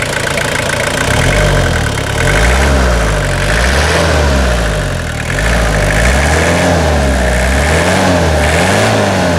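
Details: 2000/01 Toyota Hilux SR5 2.8 diesel after a full revitalization service: it fires up, settles into an even idle, then rises and falls smoothly through several revs, running clean. Normal start, idle and revving.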